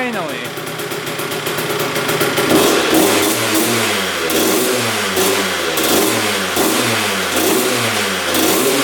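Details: 2001 Honda CR125 two-stroke with rebuilt engine, after setting a throttle cable left pulled open; crisp ringing, revving up and dropping back cleanly with quick blips, picking up evenly; fired right up, sounds healthy, heat cycles still to do.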